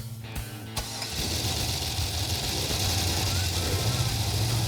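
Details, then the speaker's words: 1966 Corvette, off the road since 1993, first start after revival: brief cranking, then fires into a lumpy, uneven low beat; rough running until oil reaches dry lifters. "there now we got oil to the lifter got oil all right got no water in it yeah it was running bad I wanted to hear the oil come to the lifters which it did"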